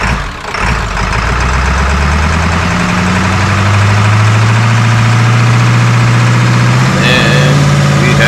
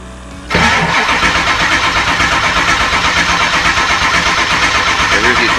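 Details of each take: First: 2002 Ford F350 7.3L diesel, 238K miles, first start after injector cup and o-ring repair plus new passenger-side injector harness, valve cover still off; steady clatter revving cleanly, still puffing smoke but running fairly smooth on all cylinders. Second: 2002 Ford F350 7.3L diesel, 238K miles, after injector cup and O-ring repair and clearing oil hydrolock: cranks and catches quickly but idles lumpy and uneven with missing beats, firing on only the driver's side bank.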